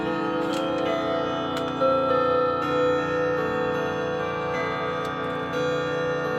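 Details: Clock with 1970s case and common 1161 movement, fitted with different strike hammers: steady ticking under clear, mellow bell strikes with soft ring and no tinny edge; strike quieter and much better, chime unchanged.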